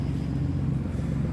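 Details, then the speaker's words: Copart-rebuilt Nissan Maxima, odometer 142.75 (thousand), crash bent exhaust, no check engine light, temperature normal: idle runs louder and coarser than normal, leak at the rear exhaust manifold awaiting replacement; exhaust manifold leak. "i don't know if you can hear but it's running kind of loud it got exhaust leak on the back manifold"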